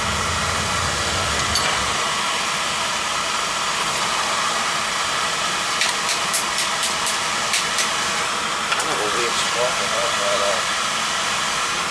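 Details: Beckett oil burner on an outside tank, after third pump fitted, pump pressure and air adjusted; smooth, even flame roar with steady fan hiss, no pulsing or rumble; firing cleanly, though tank moisture is suspected behind the no-fire fault.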